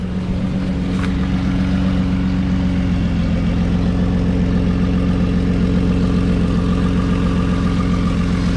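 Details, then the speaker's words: 2009 Nissan Murano, exhaust snapped before the muffler and patched by stick welding: steady, deep idle drone with no puffing, popping or leak rasp, much quieter than before; normal idle after repair. "All right. Well, as long as that holds for well, as long as hopefully possible, I'll be happy cuz before it was undrivable."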